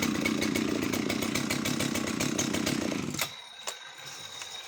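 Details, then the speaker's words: Oleo-Mac 272 Classic Italian chainsaw on its last run before going to a new owner: a steady, even idle for about three seconds, then switch-off leaving light clicks. It runs flawlessly apart from an odd occasional misfire, perhaps from lack of use. "She runs flawlessly as far as I can tell. Just the odd kind of misfire now and then, but that's just perhaps it's just literally lack of use."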